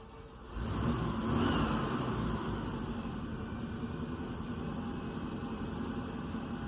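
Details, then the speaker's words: 1963 Chevy C10 small-block V8 after the exhaust was essentially completed. A steady, even, much quieter low rumble with no surging or stumbling, far better than the loud exhaust hours earlier. Normal idle. "So, that thing sounds incredible. Um, a lot better than it did hours ago when it was just really loud."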